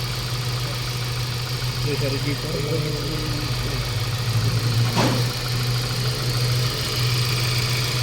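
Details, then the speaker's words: Mazda 3 1.6 four-cylinder after cylinder head work, 3.5 litres added, no leaks, normal temperature after about an hour running: steady, even low smooth idle hum, no shake or knock; former strong vibration gone at transmission, no check engine, normal idle. "na yung palag mga boss katulad dati na malakas yung vibration so Tingan niyo yung transmission wala ng vibration"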